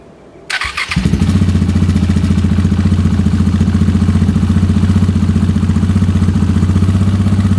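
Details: KTM 690 SMR single with newly fitted Akrapovic exhausts; it ran rough before with the latest KTM map. Short crank, catches at once, then an even, deep thump about four beats a second. Smooth and healthy.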